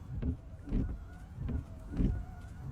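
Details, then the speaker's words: Car wipers on slow speed 1 after refitting the blades, which had screeched across the glass: soft low thumps roughly every two-thirds of a second as they sweep, squeal completely gone. "慢1档，听到没有？异响彻底消失了，怎么样？是不是很简单？"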